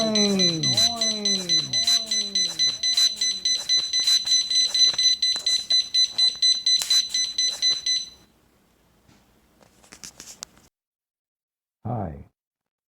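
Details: PG Drives VR2 powerchair joystick controller: a high beep repeats about twice a second for eight seconds, then stops; fault warning, here caused by dirty contacts, fixed by cleaning.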